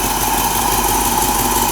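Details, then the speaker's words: Mercedes 4.5 engine long running rough, cold start after suspected main culprit fixed, dwell and timing only set by hand: steady idle with faint uneven pulse, better but still slightly rough and shaking. "Now you can see it's still shaking a little bit because there are probably some other minor things that we're going to have to deal with."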